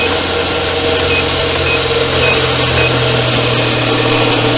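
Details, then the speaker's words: Homemade 2x72 belt grinder built from laser-cut 1/4 inch plate, running at maximum speed setting 10 on a bare metal table; smooth steady whir with even low hum, faint buzz is table vibration, would vanish on rubber; healthy motor. "There's no rubber feet or anything like that. And it is very smooth."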